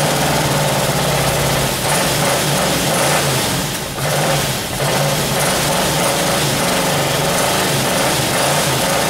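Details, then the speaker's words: 1978 Camaro 350 V8 warmed to 190 degrees, exhaust installed, idling: light, fast lifter ticking over the exhaust burble; lifters need resetting/adjustment. "now with the exhaust on there i can hear the lifters rattling so now i can go and uh go through and reset those"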